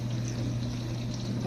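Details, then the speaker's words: Frigidaire Gallery Professional dishwasher after wash pump motor repair (stripped plastic motor shaft had stopped water spraying): steady low motor hum under an even rush of water spraying inside, wash pump circulating normally. "I could hear the water splashing around and that's what uh this is the water that wasn't working the uh the pump motor wasn't uh splashing the water around because the shaft was uh stripped the plastic shaft from the motor"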